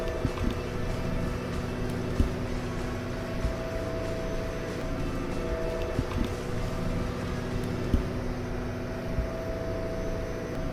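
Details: Nordhavn 63 main diesel heard in the engine room underway: loud, steady drone with an even low rumble and a constant mid tone, no knocks or rattles; no leaks or loose fittings, running normally.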